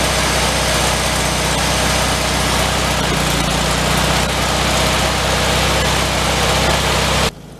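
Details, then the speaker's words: 1974 VW Thing, 29k miles, started after sitting at least six months: loud busy idle with a quick puffing tick about four per second; suspected exhaust leak from a hole at the heater box, may need welding; exhaust ticking at idle. "I thought we had an exhaust leak on it yeah it's looking like right there at the heater box there's a hole so we may have to weld that"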